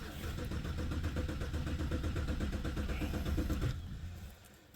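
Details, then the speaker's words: 2008 BMW 323i with codes P0012/P0015 cranks steadily, about three turns a second for nearly four seconds, but won't start after both cam sensors were replaced with Amazon parts; owner suspects the new sensors are defective or need to relearn. "is it not detecting those cams now I wonder wouldn't that suck oh she almost started"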